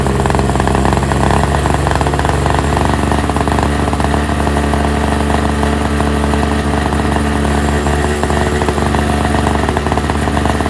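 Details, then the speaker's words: NOMA 21-inch single-stage snowblower, 4.5 hp Tecumseh 2-stroke, after replacing tar-clogged fuel filter: steady even buzz at full run holding one speed, no stumbles or surging; normal running. "on full run. Runs great. I'm stoked."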